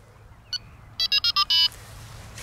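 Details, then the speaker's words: Delkim TXi-D bite alarm receiver multi-channel pairing, left button held: one short chirp, then four quick high beeps and a longer held tone confirming the sensor is paired. "tengo premuto il pulsante a sinistra doppio beep che mi dice ok ci siamo"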